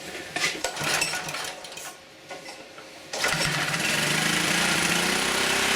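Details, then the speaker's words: Auction-bought generator after new spark plug fitted and adjusting screw backed off, started choked: engine fires about three seconds in and holds a steady even buzzing run; runs and generates normally. "Alrighty. She runs and she generates."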